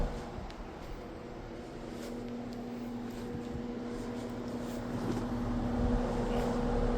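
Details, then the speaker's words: Happy Home window box fan running on the floor while warming up: thin steady whine over the airflow at even pitch, suggesting a dry or worn motor bearing; owner considering adding a few drops of oil. "Can you definitely hear it whining?"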